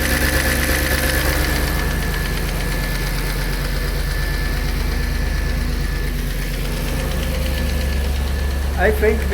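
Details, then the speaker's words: Audi A6 C5 4B 4.2 V8 Quattro, first start after replacing non-return (drain-back) valves and intake manifold seal, heads completely drained of oil: light quick lifter ticking over idle, fading as oil reaches heads; dry hydraulic lifters. "I expect we will hear the hydraulic lifters because there's completely no oil in the heads now."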